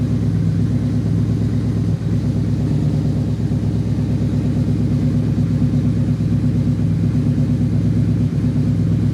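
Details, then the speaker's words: 2008 Yamaha Royal Star Venture 1300 liquid-cooled V4 after carb work (was dumping too much fuel, popping, flames), warming up: steady, smooth V4 idle a touch high with no stumbles, only slight exhaust popping left. "sounds a lot smoother go ahead let her warm up for a minute and then uh give her some throttle head a lot better"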